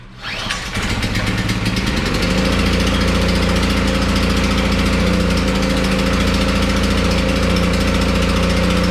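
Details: Generator started during a pre-hurricane check; catches after a brief crank, revs up, then settles into a steady, even drone with no misses: normal running.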